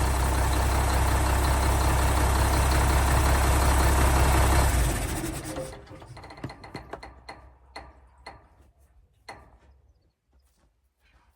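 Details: 1975 Mack FR700 8x4 twin-steer diesel, first start in many years after fuel bleeding; deep, even idle with steady low beat for about five seconds then shut down, no knocks: normal idle.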